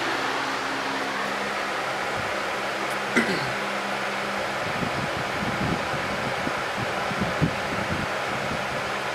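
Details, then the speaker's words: 1994 Lakewood HV18 fan: smooth, even airy rush with a steady low motor hum, no ticking or rubbing; running healthy. "what I really like about this one is the nice quiet low speed so that got very good uh difference in speeds"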